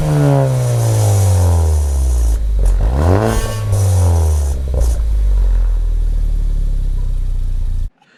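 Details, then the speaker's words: Ford Focus ST, old turbo before K03 replacement: engine revs climb and fall with a loose metallic clatter on the blips. The wastegate flapper doesn't seat fully, so it rattles and the car loses power. "so what was me causing to rattle it's just this part right here"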